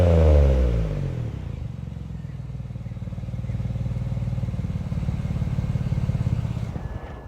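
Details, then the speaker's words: BMW 335i first start after vacuum pump replacement (owner worried about timing): quick blip falling back to steady even run, no knock or tick; sounds much better, timing seems fine, normal revving. "bruh this sounds way better I don't think we [ __ ] up the timing"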